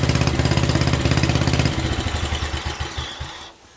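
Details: 1967 Unico 7hp tractor, single-cylinder, first run in 27 years (since 1995) after carb rebuild, fuel valve left open: even chugging about three beats a second, then slowing and fading out after a few seconds; normal running.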